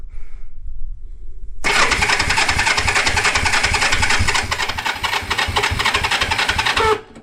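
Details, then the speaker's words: 1973 Honda CB350G, unrun for 10 years, after points were cleaned to restore spark, on choke with the carburetor still leaking fuel: fast, uneven cranking pulses with a few stronger beats as it tries to catch but doesn't run. "We're leaking fluid still, but let's give it a try. Man, I heard it kick over like a little bit."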